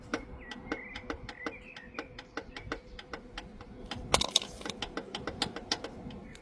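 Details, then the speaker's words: 2014 Mazda CX-5 2.0 diesel at idle: sharp, even metallic knocks about three a second. Drained oil held heavy silver metal filings. Knock traced to the cylinder 3 big end; the bearing is believed gone. Rod knock. "If I strip that big end, I'm sure I'll find the bearing gone. Straight up. Straight up. So, our noise was coming from the big end that is on cylinder number three."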